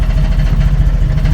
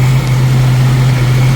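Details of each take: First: 1990 Jeep YJ 4.2L carbureted six, 5-speed, after a new fuel pump failed and carb problems returned; starts unaided but idles loud, loping and stumbling as if on half the cylinders; owner suspects flooding, may check plugs or reset carburetor. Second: 1990 Jeep YJ 4.2L carbureted six, 5-speed, warming up; idle has risen to about 900–1,000 rpm, a deep steady hum, running smooth with no misses, before carburetor adjustment.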